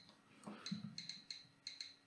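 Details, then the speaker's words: Geiger counter held at an autunite uranium mineral sample from a lead-shielded box: sharp irregular clicks, about seven in two seconds, in a quiet room. "das tickt dann schön wenn uns jetzt nicht ganz so gut hört man kann auch hier sehen wenn es tickt"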